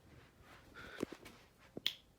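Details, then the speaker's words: Minka Aire Concept II ceiling fan on a Fanimation FanSync remote, spinning down from low: a couple of sharp single clicks in a quiet room as the relay switches the motor into reverse. "Every time you hear that click, that's when you know the reverse is going."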